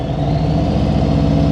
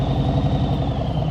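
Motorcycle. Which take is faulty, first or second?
second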